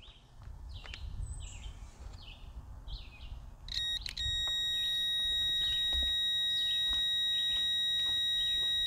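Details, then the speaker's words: Outboard kill switch circuit test: over birds chirping, a steady test-meter beep holds without dropping out and stops when the key is turned; the circuit works fine on both sides. "So the kill switch circuit works fine. It's working fine on both sides."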